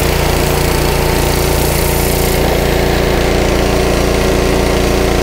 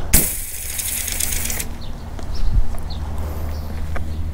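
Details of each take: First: Honda GC160 5 hp pressure washer engine surging with uneven, hunting speed despite a new air filter and spark plug; a little choke clears it, pointing to the carburetor, which is removed for cleaning. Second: Honda 5 hp pressure washer engine (believed GC160) that surged with weak pressure, now running after carburetor cleaning (surge had cleared with a little choke; filter and plug already replaced): brief start-up rattle, then an even, steady drone with no hunting.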